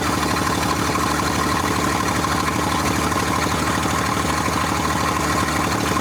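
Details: 1947 International KB3 fuel truck, first run after 30 years locked up and an engine rebuild, idling steadily and evenly with no knocking or stumbling; running well.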